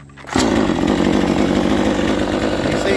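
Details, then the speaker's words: New Proyama 62cc chainsaw restarted hot without the choke: a quiet pull, then it catches at once and settles into an even, steady buzz; a normal hot start. "I know it started cold really easy, but now that it's gotten hot, let's let's see if it cranks back."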